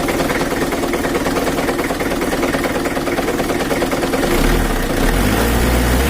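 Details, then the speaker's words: Mitsubishi Kuda 4D56 diesel, idle with the injection pump not yet adjusted: a rough idle with a dull knock about three times a second that keeps time with the engine, which the mechanic attributes to a loose, wobbling crankshaft pulley. "ketika langsam nya udah cuma ada suara kayak Bang kontur uap angkotnya itu bertabrakan karo menurut analisa saya yang bunyi itu dipukuli askruk karena putriny"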